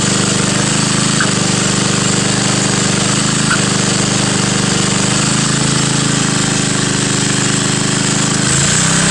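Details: Front-tine tiller with old Briggs & Stratton, cold start, run last week: steady even single-cylinder chug at constant speed, no misses, knocks or surging; well kept, runs smoothly.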